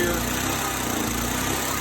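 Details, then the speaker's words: Briggs and Stratton style small engine under light load burning old gas with cleaner added: drones unevenly, speed sagging and recovering every second or so; struggling, owner suspects plugged carburetor fuel port. "Boy, it's struggling to keep up. One of my ports, the ports where gas flows through is plugged."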